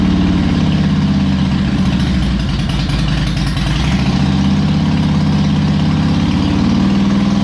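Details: Harley Electra Glide owned almost five years, after new spark plugs, a cleaned air filter and fresh oil, not yet warmed up: steady, even, loping V-twin idle, no misses, knocks or ticks, running better; normal idle.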